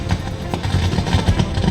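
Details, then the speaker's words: Mohawk Platinum MP1200.1 1200 W car power amplifier, ±30 V rails, with no input connected producing deep uneven thudding pops through the subwoofer (motorboating); symptoms hum and distortion after running a while. "มฮะinputยังไม่ได้ต่อเลยนะครับแต่ว่าจะมีเสียงเนี่ยคลอกๆนี่เรียงกันเป็นอย่างนี้เลยครับผม"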